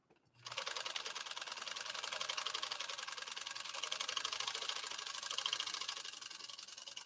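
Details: PFAFF 130-6 sewing machine sewing a decorative stitch at settings 4-3-2 via its embroidery kit, music paused: fast, even, light needle clatter with no knocks or grinding. It runs smoothly and healthy.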